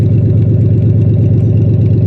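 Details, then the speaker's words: Cadillac limousine abandoned about 10 years: loud, deep raspy unmuffled idle with a steady fast pulse; exhaust leak because the catalytic converter was cut off. "yet somebody chopped the damn catalytic converter"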